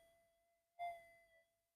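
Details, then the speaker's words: Modified Minelab GPX-4500 metal detector, sensitive extra timing, front-end gain turned right down: faint, steady mid-pitched threshold tone without wavering or crackle, clean and very low internal noise. "that's my front end gain right down so there's hardly anything being in generated inside the detector it's just a constant tone"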